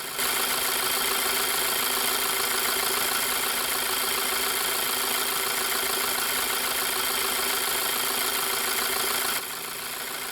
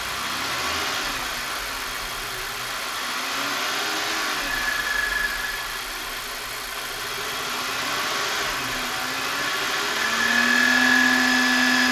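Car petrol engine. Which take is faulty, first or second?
second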